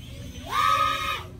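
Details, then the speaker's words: Ultralight 2S micro quad (WarPig 110, Amax 1103 7500kv motors, HQ props, 2S 300mAh HV battery) after Betaflight 4.2 PID tuning, full punch-out: motor whine climbs fast to a clean steady high pitch, smooth, perhaps slight yaw bobble. "sounded pretty smooth maybe a little bit of yard bolt again I'm less worried about that because I just don't fly that stuff more often it's pretty darn smooth too many ways"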